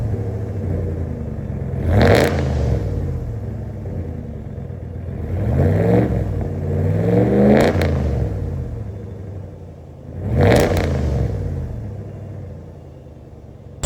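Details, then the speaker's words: 2026 Ram with C&L muffler delete installed: loud raspy exhaust turning harsh and crackly on each rev, then settling; open pipe sounds untuned and gross above idle. "much as suspected, the muffler delete is louder, but it certainly does not sound tuned, and it gets real gross anything above idle."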